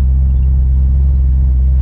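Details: C6 Corvette V8 idling after repair for no oil pressure, about 75 psi oil pressure: deep, steady rumble, smooth and even with no tapping or misses.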